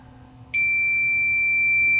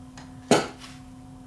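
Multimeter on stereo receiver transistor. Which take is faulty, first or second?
first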